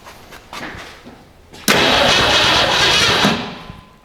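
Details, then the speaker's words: 1962 Mercury abandoned 30 years, first start after a new solenoid, fuel poured in to prime, original spark plugs and distributor cap: short crank, catches, roars about 1.5 seconds and fades out running only on primed fuel. "It sped up for a second do you hear that"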